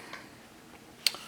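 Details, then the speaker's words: TimeUSB lithium battery charger, with the BMS later turning green at 13.7 V. Two faint, sharp ticks about a second apart are the charger switching modes to maintain battery voltage without overcharging. Normal maintenance-mode ticking. "the ticking sound you're hearing is the charger switching modes as it maintains the battery voltage without overcharging it"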